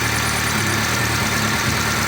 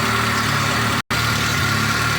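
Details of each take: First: VAZ 2-litre engine, hot, with an oil pressure gauge fitted and an extra copper washer, oil pressure slowly dropping: steady idle with a faint, fast ticking from one corner. A hydraulic lifter is suspected; it seemed quiet when cold. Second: VAZ 2.0-litre engine, cold idle on 5w50 oil, oil pressure 3.2 bar with gauge fitted: smooth, even low hum with no knocks or ticks; runs perfectly while cold, normal.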